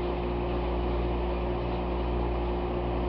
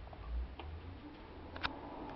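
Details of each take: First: McQuay geothermal water source heat pump with scroll compressor running after startup; low, steady 60 Hz electrical hum with even drone, no knocking, felt carrying through the wall woodwork at the door. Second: Relay click at startup of a McQuay water source (geothermal) heat pump: one crisp click as the relay pulls in over a low quiet hum, before the fan, the random compressor delay and the scroll compressor start; a normal startup step.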